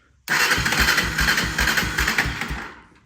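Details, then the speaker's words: 1996 Honda FourTrax 300EX ATV with replacement carb, airbox tube and aftermarket air lid now fitted: the single catches and pops unevenly about two seconds, then fades and stalls; the carb won't hold idle. "So, it looks like we're going to go ahead and have to pull that carb off."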